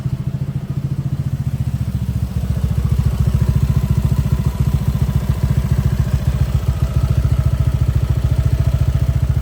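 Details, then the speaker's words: Loose spark plug ticking on a 2021 Honda PCX160 (black-gear model, 70,000+ km) at idle: sharp, even ticking locked to the idle beat over a steady single-cylinder putter, first suspected as cam-chain tensioner or pump gear; tightening the plug silenced it. "ก็คือหลังจากที่ขันหัวเทียให้แน่นก็คือจบเสียงเงียบแล้ว"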